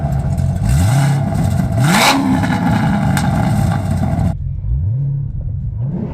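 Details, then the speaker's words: Chevrolet Corvette C7 Stingray after replacing the hacked-up, leaking factory exhaust with an aftermarket valved exhaust and tuned muffler; deep V8 rumble swelling with throttle blips and settling to a steady burble, healthy exhaust note. "And since it comes through a finely tuned Muffler it sounds good no matter what mod you're in"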